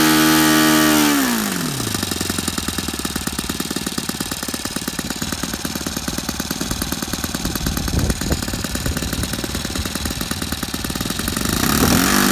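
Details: Saito FA-62 four-stroke glow engine in a Hangar 9 Piper J3 Cub, owner troubleshooting in-flight stalling at about half tank: revs drop cleanly from high buzz to steady idle, then rise again; crisp, healthy throttle response.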